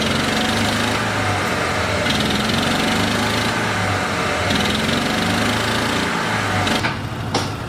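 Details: Argo ATV small engine, idling after a clutch spring adjustment. A faint, uneven knock about three times a second sits under the buzz; owner blames the exhaust for the remaining clunk, sound suggests worn crankshaft bearings.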